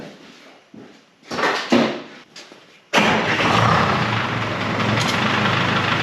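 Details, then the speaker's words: Revived 1976 Ford F250 with swapped 453T Detroit two-stroke diesel and 4-speed manual, sat since 1996; after a fuel-pump fix it cranks, fires in about three seconds, settles to a steady even idle, little smoke, oil leaking everywhere, oil pressure hard to tell. "seems all right there's a oil everywhere not real worried about it well at least it runs"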